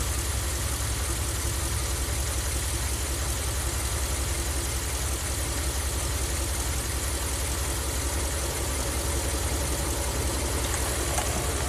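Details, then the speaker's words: Ram camper van with a hot-soak stalling problem, warm engine: smooth, steady idle without hunting or stumble; IAC dropped from 90 to under 20 counts after cleaning the throttle body; fixed. "in any case that's proof enough for me we went from 90 counts down to less than 20 counts at idle just by cleaning the throttle body the stroke's fixed"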